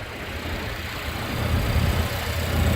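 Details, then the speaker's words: 2016 Volvo XC60 T6 Drive-E, just over 47,000 miles, idling after a cold start: low, even rumble with no ticks, knocks or misses; no issues, the engine runs smoothly. "nothing to hide here this car looks great underneath as you can hear no issues popping up off a cold start"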